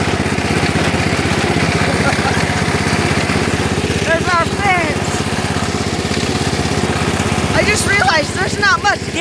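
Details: Lawn tractor engine on a cold day after charging the battery: steady rough chuffing with a dull scraping underneath. The cooling fan broke off inside and is rubbing as the engine runs.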